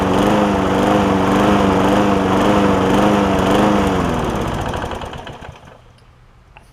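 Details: John Deere JA60 push mower after stuck-valve fix, air filter refitted: pitch rising and falling in slow regular hunt then dying; lean surge, debris in a jet or intake air leak suspected.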